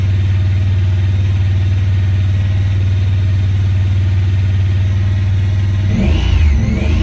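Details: 2017 Honda Pioneer 1000-5: fast, uneven high idle with a wavering drone and blips, sometimes won't go into gear; code 9-2 (IACT). Cause: factory over-crimped wires broken inside insulation at the IACV plug on the throttle body under the air box; fixed by replacing the plug and re-crimping.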